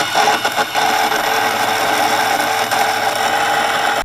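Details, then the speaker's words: Boosted Board V2 electric skateboard motor: a loud, clock-like ticking knock rides over the motor whir, similar to an engine knock. Owner first suspected the trucks, but the cause was a loose motor pulley; the motor was later replaced. "so basically what happens is I don't know the cause of it but if the pulleys loose you're gonna hear this really loud sounds kind of like a like a clock clock clock tart explain like a knock"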